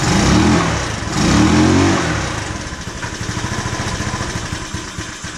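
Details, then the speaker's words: 150cc GY6 scooter after trying a spare CDI, checking the ignition coil, spark plug and valves, and fixing the fuel filter: catches unevenly, coughing and stumbling with an irregular beat, still won't idle; carburetor suspected. "as you saw the scooter did not start it was still doing the same thing so i assumed now it's the dreaded carburetor"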